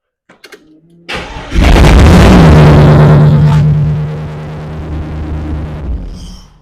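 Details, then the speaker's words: Holden VK Commodore Brock tribute 5.0 V8 after rewiring: now cranks and turns off by key; brief crank, clean catch and rev, steady idle, then clean shutoff; normal start and stop. "the car now will crank and turn off by key as I will explain uh present to you right now"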